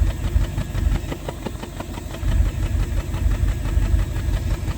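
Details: 1988 Bentley Eight at idle, listening at tailpipe end: uneven idle with irregular puffs and pops about two a second, louder as hand nears pipe; suspected misfire in one or more cylinders, not confirmed.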